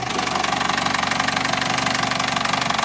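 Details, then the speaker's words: Vauxhall Corsa petrol at idle after clearing codes (cylinder 4 misfire stored), struggling to stay running: steady fast ticking-knock about four a second persists; engine knocking/ticking, cause unclear. "so guys it sounds better but there's still problem with the noise unfortunately for us though the engine was still making that noise"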